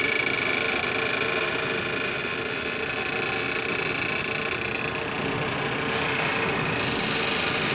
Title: overhead crane abnormal sound